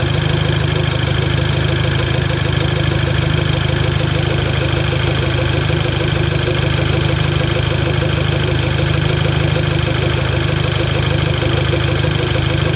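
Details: VW Golf Mk5 GTI: loud steady idle with an even tick about three per second; unusual engine sound, owner doesn't know the cause.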